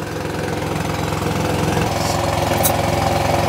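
A steady, even diesel chug at a slow idle, firing regularly with no knocks or rattles standing out; it runs fine.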